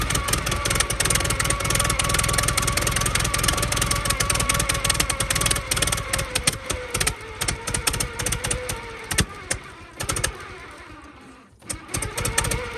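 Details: 1914 Buick with 1776.4 original miles, stored about 85 years, cooling system leaking water, deliberately run out of fuel: ticks over with an even, unhurried beat, then fades out as it runs dry; runs cleanly, no knocks.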